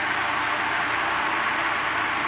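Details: Antique Emerson 16-inch desk fan, type 73648, after fitting correct head wires and sorting speed control, running on low: loud steady rush of air, fast spin, no ticking, rubbing or wobble; runs smoothly.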